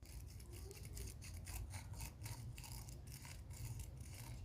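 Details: Hope Pro 4 MTB rear hub, cassette and pawls removed, freehub turned by hand: dry, gritty rasping in uneven bursts; freehub bearing rough and worn, while the hub bearings were fine.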